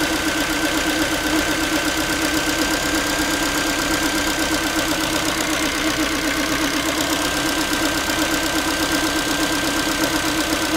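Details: Ford Focus 3 1.6 (125 hp) idling after a cold start: light, tinny metallic tapping at roughly 160 a minute, like a loose pan; the owner can't identify the source of this metallic knock at idle.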